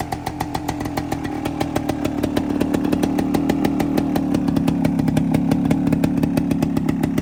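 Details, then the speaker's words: 1973 Suzuki TS250 Savage two-stroke single, barn find after 25 years, oil flow confirmed, on regular gas before first ride: crisp, rapid ring-ding picking up smoothly when revved, steady and even throughout; normal two-stroke running. "seems to be running well. Let's see if this thing will go in gear."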